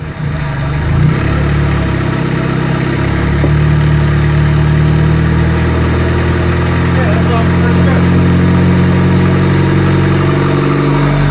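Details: Honda Civic EJ chassis, D16 engine, DIY eBay turbo build, just assembled with no muffler: loud, raspy four-cylinder settles into a steady, clean, even idle with a couple of light throttle blips; normal running.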